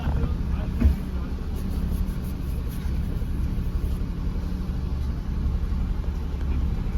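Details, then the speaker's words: 2006 Maruti Alto at idle: low idle rises and sags unevenly instead of holding steady, with missing at low speed but not at full throttle. Valve cover gasket also leaking oil. Fixed with throttle body cleaning and spark plug replacement. "അപ്പൊ ഈ ഒരു വാഹനത്തിൽ നമ്മൾ നോക്കുന്ന സമയത്ത് അതിന്റെ engine oil മൊത്തം leak ആയി കിടക്കുന്നുണ്ട് അതിന്റെ വാൽക്കർ പാക്കിങ് ലീക്ക് കാണുന്നുണ്ട് അതേപോലെ തന്നെ അതിന്റെ ആർപിഎം വേരിയേഷനും കാണുന്നുണ്ട്"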